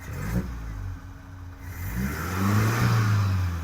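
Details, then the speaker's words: 1984 Toyota Hilux 4x4 carburetted petrol, after new spark plugs and fuel filter, not yet fully warm, smelling rich: quick throttle blips, revs climb and drop back cleanly with no popping or stumble. Normal throttle response. "didn't then that's quite responsive little [Music] stabs maybe it just needs to warm up"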